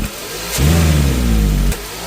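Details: 2001 Toyota Corolla with 1NZ engine, loss-of-power complaint: quick throttle blip rises unevenly and falls flat instead of pulling cleanly; hesitation traced to a dirty mass airflow sensor, fixed without parts (another shop blamed the TPS).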